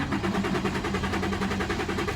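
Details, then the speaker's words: 2006 Infiniti G35 after replacing crank sensor, both cam sensors, fuel pump, fuel regulator, spark plugs and programmed ECU; even starter cranking with no firing or catch, rarely starts; no security light; crank no start. "this is my issue guys it's just [Music] cranks no start"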